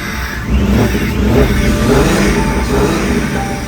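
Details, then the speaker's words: 1972 Jeep Commando with swapped-in 2000 Cherokee 4.0 straight-six, first start after a year's build: loud, steady straight-six with even firing beat and no miss under light throttle, all cylinders firing; fired right up once the unplugged coil pack was connected. "I didn't plug in the coil pack plugged it in fired right up sounds so good so always check your connections kids that's the moral of this story"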